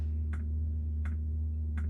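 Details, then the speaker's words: Diesel heater newly installed on a Jayco Freedom caravan, heard from outside: sharp single ticks about every 0.75 seconds over a low hum as the dosing pump meters fuel normally. "You can hear it ticking away outside, that's for sure. Here, it's ticking away to pump the fuel."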